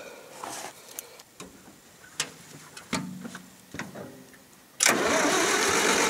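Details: 1974 International IH 354 tractor in winter, around 0°C after -30° nights: a few clicks, then starter spins steadily but never catches; no spark, ignition fault, later traced to a frayed, likely shorting points-to-coil wire while checking cap, rotor, points, coil and condenser.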